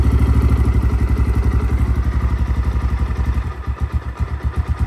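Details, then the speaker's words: XPro Templar X 250cc dirt bike with new 30mm Nibbi carburetor, idling cold after throttle cable and idle adjustment: slow loping single-cylinder thump about four beats a second, sagging toward stall. Idle set too low. "that's too low that sounds about right right there"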